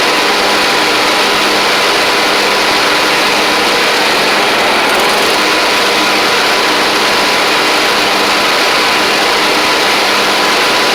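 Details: Troy-Bilt Pony riding mower with replacement engine and new head gasket, slight smoke at startup: constant hard buzz at steady speed, no knocking or surging; runs evenly.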